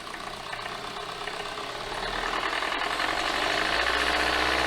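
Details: 2017 Hyundai Elantra after CVVT, camshaft and timing chain replacement, timing codes, metal debris on oil control valve, oil and filter just changed: fast ticking near four per second rising with revs, from valvetrain/timing cover area, not bottom end.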